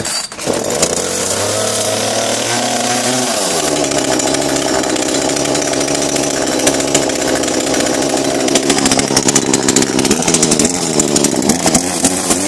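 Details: Kretec UDT chainsaw on 25:1 petrol-oil mix, started with choke then choke pushed in: quick pull catches, brief idle, then a clean steady high rev with crisp buzz and no stumbling; saw runs properly.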